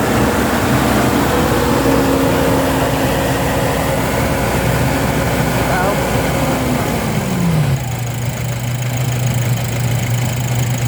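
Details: 2017 Nissan NV350 van after its no-start problem was solved, revs dropping and settling into a steady, even idle hum with no stumbling; running smoothly.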